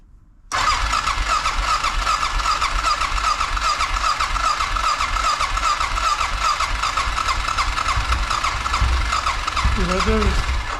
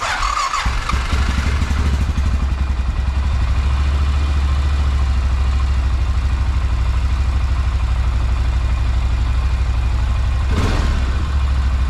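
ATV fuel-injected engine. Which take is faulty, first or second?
first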